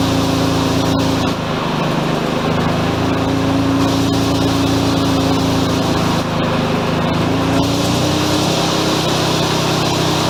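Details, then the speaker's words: Mazda FC RX-7 rotary, freshly oiled and smoky: fast, steady buzzing idle with slightly wandering hum, lowest achievable idle still too high; owner suspects a vacuum leak, an annoying buzz also present. "she's fired up kind of oil that's about as low as i can get the idle i'm pretty sure i've still got a decent vacuum leak"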